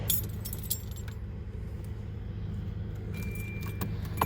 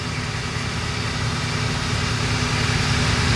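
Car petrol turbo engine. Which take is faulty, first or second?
first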